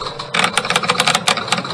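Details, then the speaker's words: 1972 Bally Fireball pinball just powered on after reassembly: motor whirs nonstop with rapid irregular switch and reel clacks, endlessly trying to reset scores; owner suspects score-reel zero-position points not adjusted properly. "see the motor keeps trying to keep running and it keeps trying to reset the scores so"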